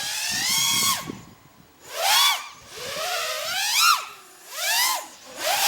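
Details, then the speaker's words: FPV quad on DYS 5042 triblade props, stock tune, makes an airy whooshing whistle rising and falling with throttle sweeps around 20% throttle; quieter and different-sounding than HQ props, a normal prop sound. "It's almost like a whistling, like a whoosh sound when you go to idle. Like not idle, but about 20% throttle."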